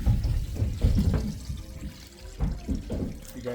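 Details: Townhouse laundry sink drain after clearing below-floor blockage with Milwaukee M12 and 5/16 drophead cable through cut drain vent: strong steady rush and gurgle of water going straight down, no backing up; drain flowing freely.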